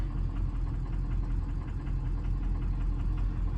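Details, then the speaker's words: 2003 Ford 6.0 Powerstroke with head studs, at a stop after driving: the diesel idle lopes and stumbles about once a second; injectors 4, 5 and 6 test below threshold and ICP is jittery, but the cause is unconfirmed. "so we just came to a stop look at this power balance now you can hear it she's running like poo poo"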